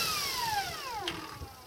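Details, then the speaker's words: Bench test of an old Kaylor adaptor/motor setup for a VW with a software-modified SepEx Kelly controller: motor spun up, then braked; whine falls steadily, brief light rattle at the end where regen stops; regenerative braking works. "and then hit my throttle and you can hear it go down um at the very end here where you hear it kind of rattle a little bit that's when regen stops so regen does not go down to zero but at least it goes down slows the card down considerably"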